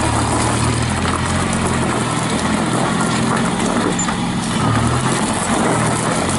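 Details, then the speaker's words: 1955 Farmall (International) Cub tractor, 3-speed, mostly original, after sitting all winter in the shed: engine idles steady and even with no knocks or misses, good oil pressure, no blow-by, running quiet and healthy. "you can hear how quiet that tractor is"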